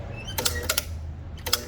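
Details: Overhead Door RSX ¾HP single-phase 120VAC commercial operator with a blown capacitor (oil on capacitor and cover): motor hums low and steady under sharp brake clacks but won't spin up or lift; motor feels quite warm.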